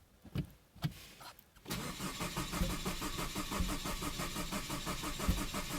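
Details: Saab 9-5 with replaced engine: a few bumps then steady cranking about two beats a second that never catches; puffs out the tailpipe, fuel pump primes, no fuel pressure data; crank no-start, cause unknown.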